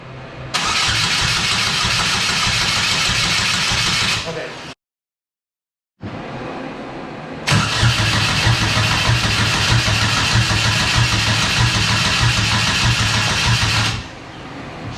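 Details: Exomotive Exocet with GM Ecotec swap replacing Miata motor, first start attempt after an attempted fuel pump wiring fix; starter churns steadily about three turns a second in two long bursts, engine never fires. Cause suspected, not confirmed.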